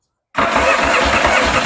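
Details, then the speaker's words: Yamaha XS650 chopper, first start after a new wiring harness and setting the points and ignition timing; owner thinks the timing is still off and the valves are unadjusted. It catches abruptly and runs loud with an uneven, lumpy pulse. Rough running. "hi actually I really need to go through one and finish adjusting everything but that is still flipping awesome"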